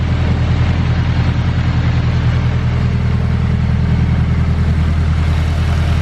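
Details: Honda Civic bought as having "rod knock" but running smoothly at idle: a low, even pulse with no knock or tapping. Its Garrett dual ball-bearing turbo has blown seals, leaks oil and smokes heavily.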